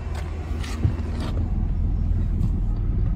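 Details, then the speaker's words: Wrecked 2010 Mercedes E550 V8, started briefly without coolant: rough, uneven, stumbling idle; misfire codes on cylinders 1, 4, 6 and 7; cause not yet confirmed, coil checks planned. "so here's my slashing he's got misfire codes I wonder why it's running with misfire codes find out"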